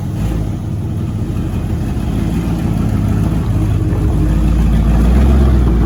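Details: 1970 Ford F-100 Stepside pickup, old motor fired up: deep, even V8 burble swelling smoothly as revs climb, no knocks or ticks; runs quiet and healthy.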